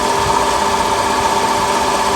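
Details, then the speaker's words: Honda Accord idling with AC on: harsh metallic grinding whir with a steady ringing tone, like grinding metal; suspected AC compressor installed without oil, fix is adding oil and turning the pulley ten times each way; unconfirmed. "por qué pasa esto a veces es cuando instalan el compresor y no le ponen aceite en unas ocasiones ya trae el aceite compresor en otra no entonces hay que cargarle aceite"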